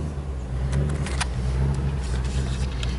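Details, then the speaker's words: 1999 Ford F250 XLT Super Duty, Triton 5.4L V8 farm truck, at startup: low, uneven, shaking idle with stumbles from misfire; surging rough idle, hard starting in cool damp weather, no DTCs, check engine light off. "let's start it up take a listen see if the check engine light's even present service engine soon okay it's shaking kind of a rough"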